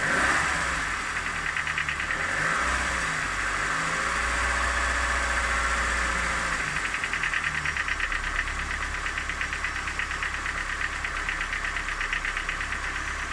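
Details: Even idle with a fast sharp ticking knock about three per second from inside the engine; owner asks what the knock could be, cause unclear.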